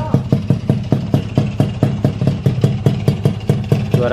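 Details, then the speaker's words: Honda Alfa engine built to touring spec with stock carburetor, 14-tooth front sprocket, stock Alfa ignition, at idle: steady even thumping about six beats a second, no misses or rattles; runs smooth, normal idle. "tinggal coba cek sound udah halus teman-teman suaranya Udah rapih udah enak kan"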